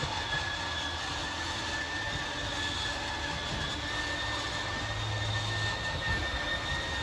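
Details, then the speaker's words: 2022 Wildwood 28VBXL travel trailer slide-out at full extension: the motors whine and strain briefly, then shut themselves off automatically, as normal. A steady low hum with faint thin high tones. "Once that slide's fully extended, you're just going to hear the motors kind of whine a little bit and then they'll automatically turn themselves off."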